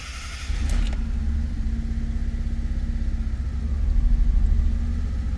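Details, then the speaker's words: 2002 Fiat Punto 1.2 petrol with judder and flashing engine light, restarted after reconnecting the upstream oxygen sensor connector (missing clip): lumpy, uneven idle with irregular thumps and shudder; same rough running, cause not confirmed. "Même symptôme. Pour le moment, même symptôme."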